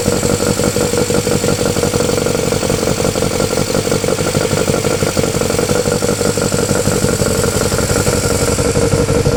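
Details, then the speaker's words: Honda Civic EF with swapped B18C4 and OBX individual throttle bodies, first startup: stumbling idle, irregular beat about three pulses a second, loose clattery edge; runs rough, owner suspects ECU setup, unconfirmed. "it's running a bit rough we need drive with it oh yeah sounds like it's running off a"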